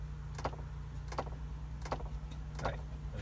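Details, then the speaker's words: 2002 Ford Explorer, ignition on, HVAC dial turned to heat: sharp clicks about every 0.7 seconds over a steady low blower hum; air stops when heat selected; failing blend door actuator, replaced. "well I've turned it to cold and you can see it shuts off when I try to get some heat and after doing some research online I found out that this is an issue with the air door actuator"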